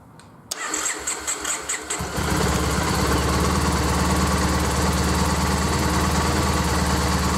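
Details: Triumph Bonneville after replacing failed regulator that stopped battery charging: starter churns in a few quick pulses, then the engine catches and settles into a steady, even idle with no misses; charging reads 13.9 V at idle.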